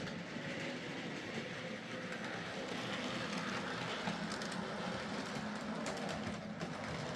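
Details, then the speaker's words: Hornby "Sir Dinadan" locomotive after fitting a Peter's Spares replacement motor: soft, steady motor whir with even rail clatter, running quieter and smoother than the old motor (about 200 mA), current draw reduced 50% or more, normal running. "so there we are s dinadan running a lot quieter and smoother and with a 50% or more reduction in the current draw"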